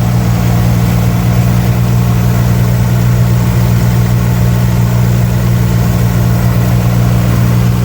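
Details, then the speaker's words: 1964 Chevy II Nova six-cylinder, started after sitting about one year: a deep, even idle hum with a steady low pulse and no misses, knocks or ticks; it runs super smooth and healthy. "Well, that was easy. can't believe how good it runs. It's super smooth."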